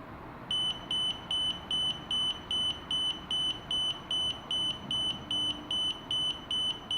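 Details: DJI Spark remote controller beeps incessantly about 15 seconds after power-on, high piercing beeps about 2.5 per second; it won't pair and the sticks are unresponsive, so it can't be calibrated (not a connection or calibration issue); continuous fault beeping.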